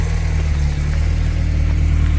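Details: 1980s VW Polo Mk2 "Breadvan", 94,000 miles, just started: deep, smooth, even idle with steady low burble, no misses, knocks or rattles; healthy engine.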